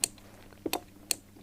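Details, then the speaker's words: Scooter ignition switched on with the microphone brought close: three sharp, dry clicks from the original starter relay in a quiet room, the normal sound of the starter relay switching. "tentends ça fait claque claque ce que tu entends faire claque claac ici c'est le relais qui est juste là"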